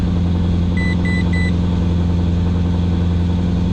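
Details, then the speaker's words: Fire-damaged project car engine running smooth and steady after a forgotten massive vacuum line was reconnected following plenum removal, with three quick dashboard brake-fluid warning beeps early on. "yeah whatever all right let's see what we've got now that's a lot better"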